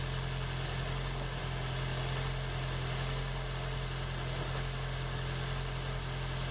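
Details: 2016 (4th-gen) Prius engine swapped into a 2012 Prius V, started after plugging in the ignition coils: a steady, even idle with a smooth low hum and no knocks or ticks, running normally.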